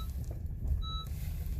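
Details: Honda CR-V idling: single clear electronic warning chime with brake system, traction control and other dash lights on; low brake fluid from brakes worn to bare metal, caliper pistons fully extended.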